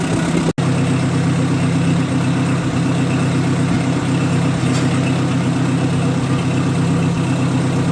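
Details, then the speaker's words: 1958 Oliver 550 gasoline tractor warming up after timing and carburetor idle adjustment, thermostat opening, coolant level good: even steady low rumble at idle with no misses, surging or knocks; running smoothly. "That seems pretty happy. She's warming up nicely."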